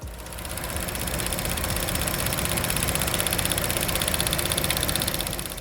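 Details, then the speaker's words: A fast, steady tick of about four per second over the idle, from under the hood; likely valve train ticking, possibly low oil or dirty lifters, but the cause is not confirmed. "A fast clicking or ticking at idle can mean low oil, dirty lifters, or issues in the valve train. Engines are incredibly precise, and when parts aren't lubricated properly, they start wearing down fast."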